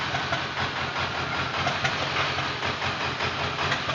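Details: Ford Powerstroke diesel idle with a loose uneven chuff about every two seconds over the clatter, like one cylinder missing; owner suspects a bad injector.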